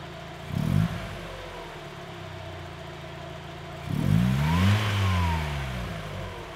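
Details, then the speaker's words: NA Mazda Miata after replacing worn, discoloured hydraulic lifters with new primed ones and an oil change from 10W30 to 5W40: smooth idle and two quick revs, lifter tick pretty much gone. "there you have it as you saw the lifter noise is pretty much gone now this car is far quieter than any other n a miatas that i've heard"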